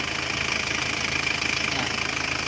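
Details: 2016 Isuzu Panther GT diesel after engine rebuild (piston rings replaced, liners flipped) for smoke and oil blowing from the dipstick, warm with normal temperature: even steady idle clatter, no misses, knocks or hunting; normal idle.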